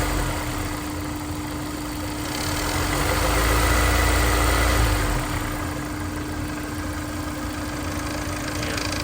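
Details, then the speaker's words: Honda NSX warm idle: fast fairly even rattle about three or four per second over engine hum, timing chain rattling from tensioner despite new OEM tensioner; may go away at higher RPM. "timing chain right there. Tensioner's rattling. Nice new OEM tensioner."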